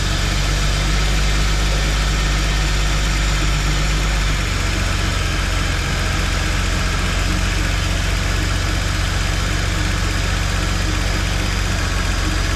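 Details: GM 3800 V6 after refitting the ignition coils on the DFI module: the engine catches and settles into a steady, even idle with a smooth low beat and no misses or knocks; running healthy.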